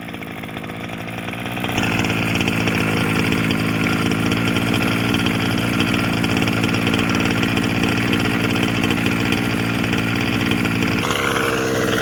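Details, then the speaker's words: Losi 5B TLR with OBR 34 two-stroke engine, before rebuild: high-revving buzz with a loose unhealthy rattle underneath; teardown found one failed crank bearing (coil and starter had been checked). "I kept on getting this noise I said Harry I'm listening and you'll hear this it's not a it's almost like a rattling noise in here coming from the car just not really healthy"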